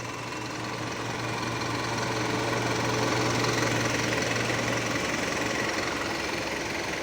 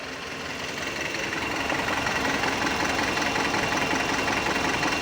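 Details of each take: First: Mitsubishi Canter Euro 4 common-rail diesel just after start-up with a scan tool on OBD2: steady even diesel clatter at idle with a faint low hum and one brief knock near the end; normal idle. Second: Mitsubishi Canter Euro 4 diesel during a scan-tool injector cutout test: cylinder 1 disabled, idle turns uneven and lumpy, about 160 pulses a minute, then returns to normal; used to find faulty injectors.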